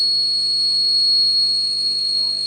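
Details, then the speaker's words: Vintage Pioneer car stereo with an added Bluetooth module, volume turned up: loud, piercing steady whistle near 4 kHz with a faint low hum beneath, painfully loud; the source of the noise is not yet found. "Ayan o, may ingay siya. Medyo tahimik. Yan o, lakas ng ingay."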